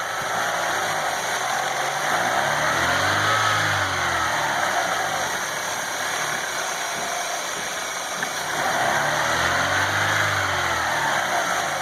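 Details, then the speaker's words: Chevrolet Aveo T250 engine, blipping the throttle: gurgling, wavering whistles and crackle from air sucked through an intake vacuum leak, the real cause of the whistle after timing belt and rollers were already replaced elsewhere. "Вот, слышно, началось журчание такое. Ого, начинается свист опять такой."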